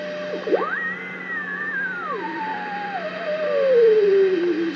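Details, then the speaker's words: Allied AX-190 ham receiver during crystal calibrator alignment, 100 kc calibrator at 1500 on a long-wire antenna: a howling whistle slides from high to low while adjusting trimmer TC17, beat note not yet at zero beat. "there's the 100 calibrator listen for a beat sound I just TC 17 for zero beat and that's this one I can just barely hear"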